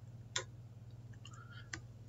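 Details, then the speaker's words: Omron PLC in run mode over EtherCAT with a MAC Valves MI/O-67 fieldbus manifold: toggling an output bit fires a solenoid valve, two crisp separate clicks over a low steady hum; normal valve switching. "So now I can toggle this bit, turn on a valve, hear that clicking."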